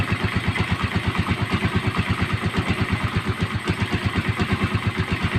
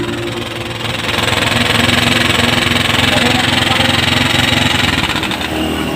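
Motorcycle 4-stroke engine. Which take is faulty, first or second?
second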